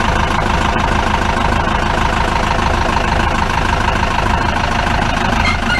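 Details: 1953 Mercedes 170D (W136) four-cylinder diesel, once-seized restoration project, at idle from the rear: loud, rough idle with a hard clattering knock about two to three times a second; smoke cleared a little; owner suspects it needs new injector nozzles.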